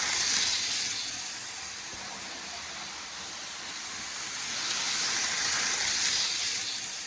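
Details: Hornby R693 High Speed Train set from around 1990, HST circling the track: light, steady hiss and whir that swells and fades; the motor runs evenly and healthy, normal running.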